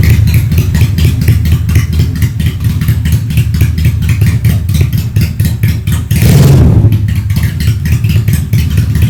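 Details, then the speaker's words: Honda Steed 400 V-twin custom with straight-pipe exhaust: loud open-pipe lope at idle, distinct separate firing pulses, one quick throttle blip; healthy idle. "Top Marco Top, anjay, suara mesinnya nice, dream come true banget ya. V-engine-nya kedengeran banget, firing ordernya satu-satu, mantap banget nih kalau misalnya motor lagi diem, langsam sih, gahar sih ya."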